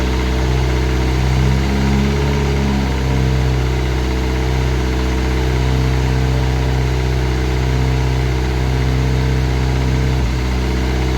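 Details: Classic Mini turbo, first start, ECU on laptop with lambda sensor: rough, loud idle with a dull knock about four times a second, felt and heard at the rocker cover; sounded almost like a big end; valvetrain knock.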